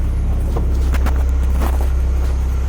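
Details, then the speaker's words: Honda H22A after ARP head studs and intake setup, idling on its own without the idle screw on its usual tune that should be lean: deep, even, smooth low pulse, no ticks or knocks; normal idle. "Well, it's idling on its own. This is the same tune that it's always had, so it should be lean, honestly."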